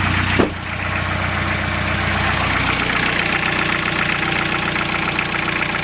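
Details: Toyota Emina/Estima 3C-TE diesel at idle, heard from under the car: light, quick tapping like a pencil on a table over the diesel clatter, from a badly worn vacuum pump.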